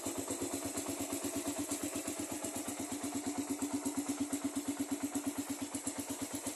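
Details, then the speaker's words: Rider carburettor motorcycle, one-click cold start in the morning: light even ticking about three per second over a steady idle from the cylinder head before oil reaches the top, fading after about 20 seconds. "So 'yun 'yung sign mga master kapagka bagong andar may konting lagitik yung ating head dito kasi yung wala pang langis yan sa ibabaw kapag bagong andar."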